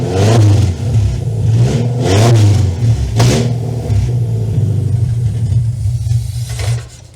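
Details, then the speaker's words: 2-liter van engine unrun for 18 years, after clamping the intake, old low oil: deep note surging and sagging as revved, uneven and unsettled; rough running needing fine tuning. "So far, that's pretty good. So I think there is a lot of fine tuning that needs to be done to this thing."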